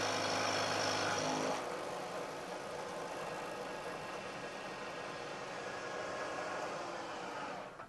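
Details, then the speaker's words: Milling the same part at roughly equal depth with damping plates sliding against each other for support: even, quiet cutting hiss without ringing or squeal to the end of the part; no chatter, better surface finish. "I'm taking a cut this time of roughly equal depth to the cut I took before and you'll hear that there's a very big difference in the noise produced especially as the cutter gets out towards the end of the part"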